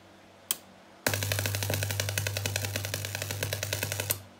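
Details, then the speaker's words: Homemade linear bench power supply (LM723 regulator, 2N3055 transistors) on 220 V mains: loud hum with uneven sputtering crackle, a few pops a second, from the mains switch, a low-voltage-rated switch arcing. "mai questo rumore Cos'è che fa rumore Ah è l'interruttore Perché giustamente sulla 220 quando progetti una cosa del genere cosa gli vai a mettere un interruttore per bassa tensione"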